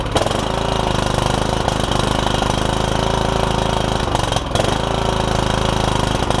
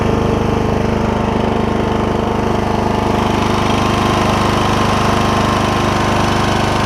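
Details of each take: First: Kohler Courage single-cylinder on a Troy-Bilt Super Bronco lawn tractor with a cracked block, first start with fresh battery and gas, hood off; fast lumpy uneven chug with a brief stumble, rough running. Owner suspects it needs carb work. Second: Troy-Bilt Super Bronco lawn tractor, Kohler Courage single-cylinder with cracked block repaired with JB Weld, belts and blades refitted, test run: steady, even drone with a regular beat, no knocks or misses, running smoothly.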